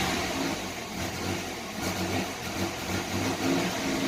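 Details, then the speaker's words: 1990 Chevrolet Lumina Eurosport 3.1 V6 idling after a rev with an unsteady, stumbling beat and dropped pulses that come and go. The misfire clears with throttle; the owner suspects an injector or fuel pressure regulator rather than the coil pack. "and there goes the misfire right here could have a bad injector still fuel pressure regulator because the way it misfires and clears up like that when you give it gas"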